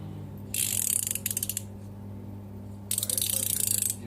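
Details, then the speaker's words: Newly bought ratcheting wrench set, largest 19 mm wrench with some play: two bursts of fast, crisp, even ticking as it swings back, pawl catching each tooth cleanly; ratchet working properly. "в принципе нормально работает посмотрим так этот на 19 этот на 17 люфта меньше чем на 19-м трещотка тоже вроде работает"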